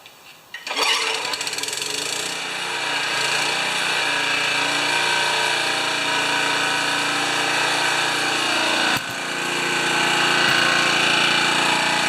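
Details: Honda HRA214 mower after choke/governor work and rejetting the main jet: catches and settles into a steady, even drone with no hunting or surging; running properly.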